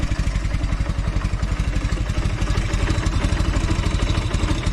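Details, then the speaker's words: Velocette LE twin idling at about 700 rpm after clutch and points adjustment: a low, even thumping with no skipped beats or ticking, firing evenly on both cylinders, where it previously had an occasional miss or tick. "Seems a lot better. It sounds like it's running smoother at idle as well. It always used to have a little bit of a miss or a tick to it sometimes. So that seems a lot happier."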